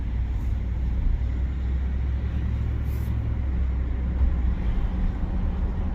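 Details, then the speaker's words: 2018 Ford F150 5.0 with 8.8 rear axle and electronic locker rebuilt after water damage caused binding and a bang when reversing; test drive shows only road rumble and tire hum, no binding or rear-end noise. "Yeah, no more binding up. Everything super quiet. No noise from the rear end."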